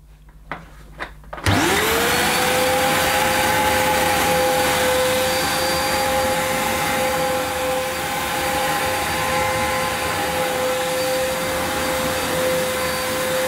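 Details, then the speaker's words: Electrolux Cyclonic Lite bagless upright, circa-2005 model new in the box, first run on carpet: a steady high motor whine without the expected agitator growl, plus a burning smell; owner suspects the belt needs replacing. "hmm it's not got the the growl I expected from the agitator I'm just gonna check that because it's possible that the belt needs replacing"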